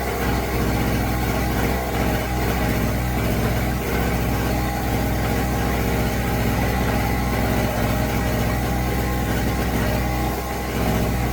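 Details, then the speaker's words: New Pulsar 1200 W portable generator running an air compressor filling a 200 PSI tank; engine revs up under load into a busy steady labouring drone at full power; barely handling the heavy electrical load. "You can hear how it revs up when I go to use the power. Motor revs up. I'm thinking that it's not going to handle It just seems like it's just barely handling this."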